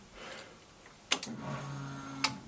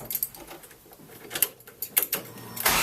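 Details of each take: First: Ford Escort Mk6 van under restoration, first start attempt after fitting battery, no dash, exhaust off: click then faint steady hum about a second ending in a click, fuel pump priming normally at key-on; engine nearly fired first go. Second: Ford Escort Mk6 van under restoration, first start: engine cranks and catches with no exhaust fitted, a harsh, very loud raw roar for about two seconds that fades; loud running without exhaust.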